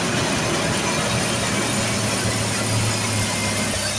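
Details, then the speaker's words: Jeep Liberty KJ after spark plug replacement idles smooth but fast, about 1100–1300 rpm, not from being cold; a vacuum hose apparently knocked loose during the plug job is leaking vacuum, causing the high idle. "so it is running nice nice and smooth though really smooth but then again it is at like 11 12 1300 RPMs it's going to f that way yeah just over 1300 RPMs"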